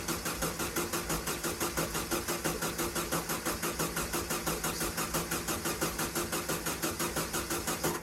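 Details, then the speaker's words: VW sandrail dune buggy that sat 18 months, so the carburetor needs filling: fast, even cranking with strong regular compression pulses for eight seconds that never fires. It spins well but no fuel is pumping; the cause is not yet confirmed. "Turning over really well. Just check the fuel line, there's no fuel pumping"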